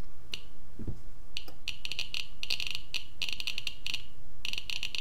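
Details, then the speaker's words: Fast irregular sharp ticks in dense clusters from a Geiger-Müller counter board with Arduino Uno and Nokia 5110 LCD, 5 V powered, with a radioactive source placed near the tube; almost 900 counts per minute over a 15-second period. "you can hear it looks obviously and there you go so we got almost 900 counts per minute for this 15 minutes now 15 seconds period"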